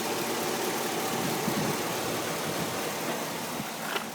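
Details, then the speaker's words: 2006 Chevrolet Silverado 4x4 idling with hood open on a roughly 105°F day in Tucson, arrived running and driving well, original battery: quiet, steady idle with only a soft hiss, no knocks or rattles; sounds great, healthy engine. "It's running. Listen to it. Sounds great."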